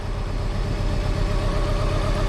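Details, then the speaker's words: 1995 Plymouth Neon, low mileage, long-stored, after running a while: low even idle with no misses or lumpy beats; no longer shaking, idle settled smooth. "I think we let her run for a minute and figure herself out, huh? Look at, she's not even shaking anymore."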